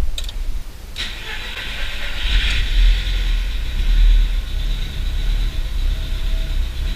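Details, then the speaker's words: Audi TT MK1 under restoration, first start after reconnecting the battery: cranks, catches, then slightly uneven idle with a knocking tick from one area; owner suspects a failing ignition coil. "j'entends un claquement ici j'entends un claquement j'ai l'impression que ça vient de quelque part par là là je me demande même si ça vient pas de cette bobine"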